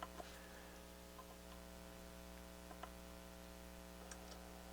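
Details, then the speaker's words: Technics SL-7 turntable during restoration, 12-inch size set to block the photo eye, stylus refitted: faint irregular mechanical ticks over a low steady hum as the mechanism cycles and the tone arm moves in; auto-play working normally for the first time in years. "move this in this is the first time i've seen it work in years so that's working"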